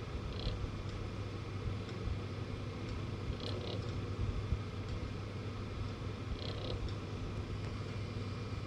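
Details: Galax GPU fans spinning up: low, rough, purring rattle under fan noise with faint higher clicks every few seconds; no cables or obstructions hitting blades, stops only above 30% fan speed; fan rattle at low speed.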